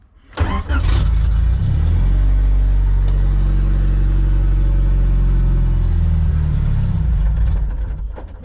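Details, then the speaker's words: Turbo LSVTEC Honda CRX converted to OBD1, running year-old gas plus some old E85: fires quickly, low rough idle about five seconds, then winds down and dies every time; owner blames the old fuel. "so the car turns on every time now just idles for about five seconds and then it dies"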